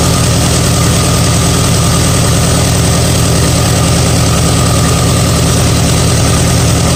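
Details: 1959 Allis-Chalmers D-17 tractor after rewiring, with good oil pressure and a healthy bottom end, charging about 13.3 V: loud, deep, even chug about three beats a second with no misses. Normal idle.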